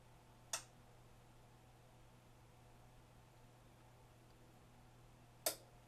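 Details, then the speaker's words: Denon AVR-S930H receiver, first power-up after reassembly, after replacing a bad transistor in the differential amplifier supply on the surround back left channel that caused immediate shutdown: quiet hum, then a sharp speaker relay click and another later. Normal. "and i get a speaker relay click awesome"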